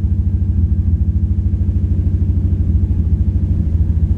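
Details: Infiniti G35 at idle: lumpy, uneven idle with a steady stumble about three times a second in the exhaust beat; random multiple misfire code, two ignition coils found bad.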